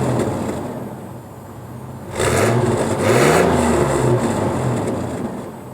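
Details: 1998 Chevrolet S10 after fitting a new Walker muffler and welding exhaust, heat shields removed while chasing an exhaust rattle: two clean throttle blips rising and falling smoothly, no rattle or buzz; rattle gone, normal exhaust.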